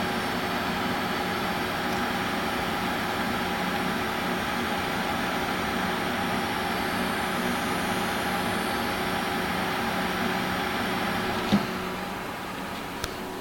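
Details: Watercooled GTX 680 graphics card under full load: steady electrical buzz with thin tonal edge over pump hum, constant only under full load; cause unknown, possibly previously masked by fan noise.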